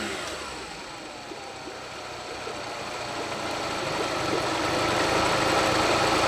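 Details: Honda BF40 outboard on a 14 ft boat, just restored with new head gasket, test run: idles fine but climbs in revs strained and uneven, shaking, never picking up; owner suspects fuel starvation, fixed by cleaning carb jets and replacing o-rings.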